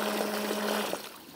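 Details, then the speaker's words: Parkside PRPA 20Li A1 cordless rain-water pump on X20 battery, pumping clean water: steady mid-pitched motor hum over splashing water, then the hum cuts out; good pressure and spray, normal healthy pump operation. "zapneme Si to môžete sledovať vytvára to vynikajúci tlak taktiež to má celkom slušný dostrek"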